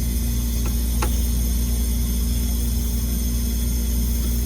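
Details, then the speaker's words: Hoshizaki 150 undercounter ice machine coming out of harvest into freeze cycle with water pump running: steady low hum with even pump drone, no knocks or rattles; normal freeze cycle. "All right, there we go, into the freeze cycle. Water pump's running."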